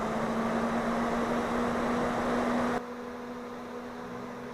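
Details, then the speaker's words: Fan-Tastic Fan Model 1250 newly installed in a travel trailer roof vent, exhaust mode, speed 3 (maximum): even rush of air over a constant low hum, no rattle or wobble, until it shuts off. It runs normally at full speed. "As you can see, there's definitely a breeze in the trailer."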